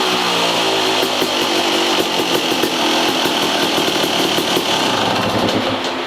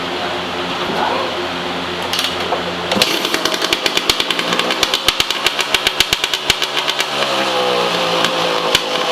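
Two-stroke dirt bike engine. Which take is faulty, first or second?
second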